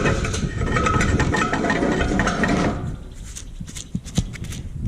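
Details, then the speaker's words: John Deere 224 combine header bearing just removed, spun by hand: dry, gritty rattling roar that cuts off, then scattered clicks; worn, rough bearing. "Listen to that. It don't sound good anyway."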